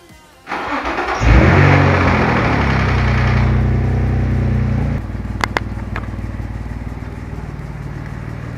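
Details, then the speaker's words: Nissan 350Z started after an oil flush and new full synthetic oil: catches, flares, then idles with a steady light tick about four per second; the fix failed and the valve lifter tick the dealership diagnosed remains. "And now, I pray to God my valve cover or valve lifter noise is just gone. It's that annoying like ticky ticky ticky ticky ticky noise."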